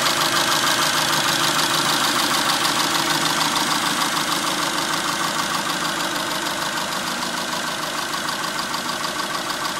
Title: 2002 Dodge Neon Engine Ticking Noise